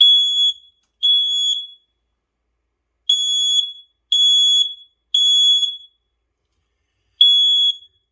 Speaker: So this seems to be working.